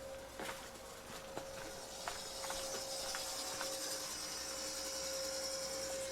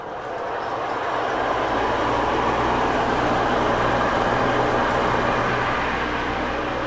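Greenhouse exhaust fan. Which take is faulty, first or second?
second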